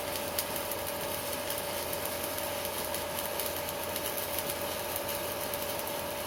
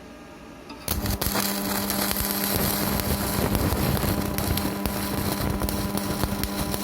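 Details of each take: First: Strat 160KS welding inverter welding with its casing removed: steady crackling arc hiss over a faint thin whine, no low drone; quiet without the casing, whereas it hums once the casing is refitted. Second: Strat 160KS welding inverter, 2 mm gap, 2.5 mm electrode: a steady low electrical hum under crackling arc noise while welding; it hums but keeps welding, cause not pinned down.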